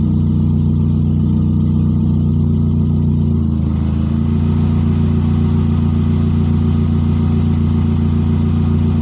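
Loud, deep, raspy engine roar held steady, then shut off; an exhaust leak makes it unusually loud.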